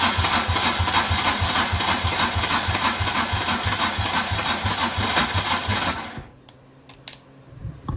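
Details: Two-stroke 4x4 1994 Polaris quad pulled from the bush after sitting, battery jumped: starter spins the engine at an even three chugs per second for six seconds with no firing, then stops; cranks but won't start.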